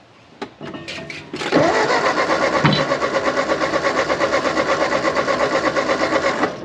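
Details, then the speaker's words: 1939 Ford 9N tractor, swapped rebuilt engine unrun for over a year and a half, ATF in cylinders; cranks steadily about three beats a second but never fires; weak intermittent spark suspected, coil reportedly fine; crank no start. "no i think that spark for whatever reason is not strong enough to ignite it at this moment"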